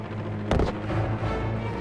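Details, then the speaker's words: Buffalo Airways WWII-era twin radial transport in flight: right (number two) engine, which earlier had a magneto problem, running rough with a sharp backfire over the drone. "right engine starts backfiring. Hear that backfire, Scott? I think it came from this side."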